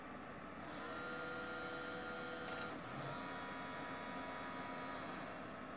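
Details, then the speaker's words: Desktop PC that beeped and wouldn't boot after being bumped hard, after removing a loose memory stick: steady fan and drive whir with faint clicks and no beeps; boots into Windows normally. "okay so i got something on the screen it it doesn't do any beep anymore so there it is okay the windows stall right up"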